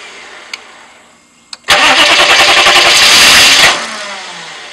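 Steady rapid cranking chatter for about two seconds, then it stops without catching; the engine turns over but never fires.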